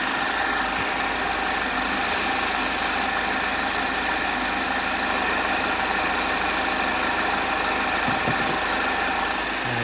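Warm idle carries a steady, high metallic singing over a thin engine note that doesn't change; source unclear without more checks.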